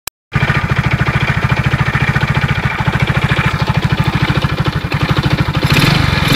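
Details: Alfa engine with 15,700 km, recorded before full teardown and inspection. Fast even idle at about three to four pulses a second, with a hard metallic tap on each stroke; internal knock, cause unknown.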